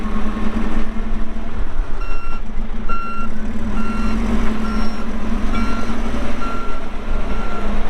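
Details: 2014 Kawasaki 65TMV D2 wheel loader, pre-emissions Isuzu diesel, 7,671 hours: clear high backup beeps about every three-quarters of a second over a steady diesel rumble; alarm and engine sound healthy.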